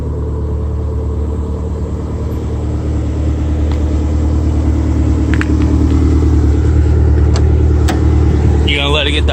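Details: Toyota MR2 on road after wheel rub fix: steady low road rumble rising gently with speed, no rhythmic scraping or rubbing from wheels; rub gone, sounds much better.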